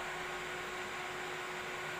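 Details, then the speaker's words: 4-channel power amplifier installation, all volume pots turned up: only a faint even hiss from the speaker, no hum, rumble or switch-on thumps; normal clean amplifier output. "tapi tetep aja nggak ada suara jedug dan lain-lain Oke teman-teman dan juga di sini hem kita bisa lihat ya Ada suara dengung apa nggak di speaker"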